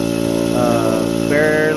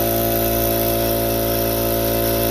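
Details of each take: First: Harbor Freight Central Pneumatic air compressor that struggles past 30 psi and stalls near 40 psi: steady motor drone with a buzzing tone while pressure fails to build. Worn compressor valve plate; the top end is rebuilt afterwards. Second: Harbor Freight Central Pneumatic air compressor after a top-end rebuild: even, fast piston thump at about four beats a second with a steady hum as it builds pressure. It formerly stalled at 35-40 psi with weird noises; now it reaches cut-off quickly.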